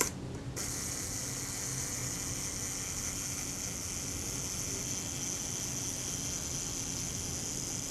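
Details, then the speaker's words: Kodak Retina Reflex S shutter at slow speed: thin even gear whirr ends slightly too soon. The shutter is running quick, so the retard gear train is to be moved inward to mesh more with the main drive cam. "Alright, well that sounded a little bit quick for a second, so I'll move the retard gear train inwards for greater engagement with the main drive cam, which should slow the shutter up."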